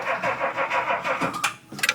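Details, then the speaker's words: Classic non-American car with sunroof: steady rhythmic cranking about four pulses a second with no catch, then a few sputters; hard starting with long cranking, owner says it needs more fuel priming. "She wants to. It's not an American car. It has to be primed a little bit more."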